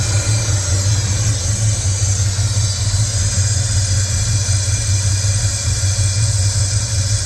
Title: Can someone please tell me what that hissing noise is